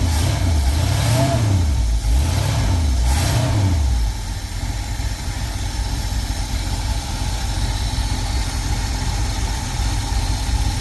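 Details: Carbureted engine in a '52 truck, just after the accelerator pump was changed, revs up and down cleanly a few times, then settles into a steady, even idle with no stumble or miss.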